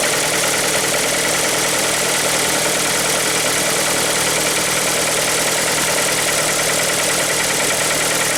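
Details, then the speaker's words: Hyundai ix35 2.0 G4KD engine, timing chain previously replaced, morning cold start: loud, sharp ticking clatter about three per second over the idle; abnormal knock, source undetermined. "Теперь посмотрим, как же он будет звучать утром, когда я приду и запущу его. И вот она, работа двигателя с утра."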